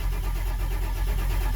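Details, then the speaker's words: Ford F550 Powerstroke diesel: steady low starter cranking with no firing; leaking IPR valve (poppet/O-ring) let high-pressure oil bypass, main oil pressure up but injection pressure only about 10 psi, so no start. "this one apparently was leaking all the flow right through here wasn't allowing it to build any pressure"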